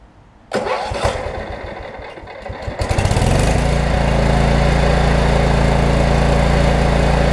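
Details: About 30-year-old Cub Cadet 1320 riding mower with hydro transmission, started to run the blades: a few cranks, catches, then settles into a steady, even single-cylinder putter with no knocks or misses; normal start and idle.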